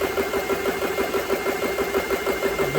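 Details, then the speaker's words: GX CS3 compressor after fixing a failing pressure switch that used to cut off when wiggled. It fills with a steady, even pumping beat and runs well. "that's working real good i don't hear the compressor was going up and down"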